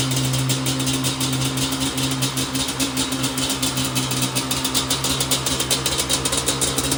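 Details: Yamaha Banshee from a storage-unit auction: crisp two-stroke rattle with even pulses, rising cleanly with each throttle blip; it idles and revs healthily.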